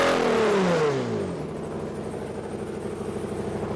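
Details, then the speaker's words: Toyota 2GR-FE V6 swapped into MR2 SW20, first cold run without oxygen sensors: revs fall to a lumpy idle with uneven pulsing about three per second; rough running, owner suspects missing oxygen sensors. "all right she doesn't quite sound right but I don't have any oxygen sensors right now so I suspect that's the issue"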